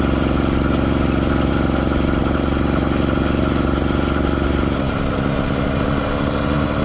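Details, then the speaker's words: Schwinn Stingray with a two-stroke motorized bike kit, riding under load: buzzy revving with a steady scraping rasp; chain rubbing on rear tire, only under load, not the half link as first thought. "biggest issue that needs to be addressed right away obviously the chain rubbing on the rear tire which you can hear in the video it's quite pronounced"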